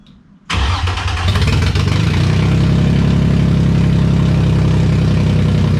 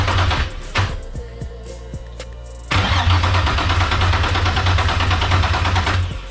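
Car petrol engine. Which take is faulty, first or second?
second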